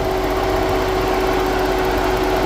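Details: 2013 Ford Edge brought in for overheating with failed radiator fans; after installing the new fans, a steady, even whooshing hum with a constant mid tone and no rattles or wobble, both cooling fans running smoothly: normal radiator fan operation.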